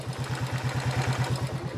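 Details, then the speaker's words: Old Shogun 110 motorcycle engine idling evenly with a steady low thump, judged normal for an old engine; the clatter heard is loose valve clearance, set wide for mountain use. "Untuk suara mesin motornya ini cukup normal ya, karena seperti mesin tua pada umumnya."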